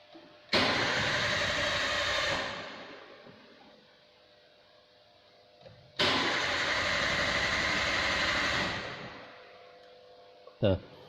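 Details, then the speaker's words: Toyota Avanza VVT-i engine, scan tool connected: two cranking bursts of about two seconds, starter spins but engine never fires; code P0335, crankshaft position sensor A fault. "akan muncul kode p0335 crankshaft position sensor a ini berarti terjadi trouble pada sensor ckp"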